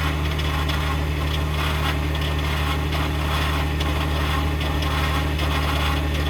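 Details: 2021 Ford F-150 PowerBoost remote cold start at -16°C: steady low drone under a loud, rough churning grind pulsing about three times a second, with a click; occurs only below about -11°C, cause undiagnosed (owner suspects cavitation/pumping).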